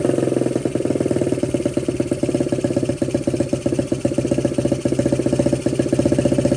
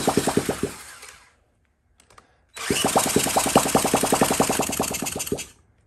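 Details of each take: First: 1979 Honda Z50 fitted with a loose SL70-type exhaust: the small single keeps a steady quick putter with an even beat, picking up slightly, and runs cleanly with no misses or knocks. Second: 1979 Honda Z50 single, fuel poured into the spark plug hole: short bursts of quick popping as it catches after a kick, then fades and dies each time; fuel starvation, the carburetor isn't getting fuel.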